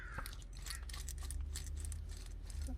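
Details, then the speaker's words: 2014 Ford Fusion front wheel hub, removed and spun by hand: rough, gritty crunching from a worn-out front wheel bearing. "i don't know if you can hear all that bearing noise so it's pretty shot"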